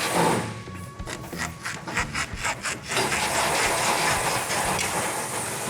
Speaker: you hear that squeaking that shouldn't happen yeah there should be grease in there